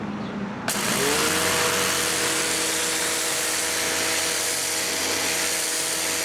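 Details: New Campbell-Hausfeld PW1835 1800 PSI electric pressure washer with universal motor: motor starts and settles into steady high whine with even spray hiss; runs smooth and normal, though owner feels it delivers more like 1300 PSI.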